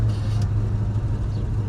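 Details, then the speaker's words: 1968 Ford Mustang Fastback GT, 302 V8, 4-speed manual, test drive in third then fourth: steady low engine rumble, no grinding, whine or clunks, gears all good; only a squeaky clutch pedal noted elsewhere. Normal gearbox. "I'm gonna slow down because this car is a little slow, but all the gears are good. It doesn't grind or anything."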